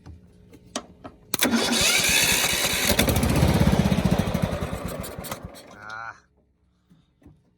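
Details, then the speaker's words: Toro Z4200 TimeCutter 54-inch zero turn mower, flooded in Hurricane Irma, parked about 2 years, after fuel and off-camera fix, started on key: a few quiet clicks, then catches and fires at steady four beats a second; starts normally. "She's firing off."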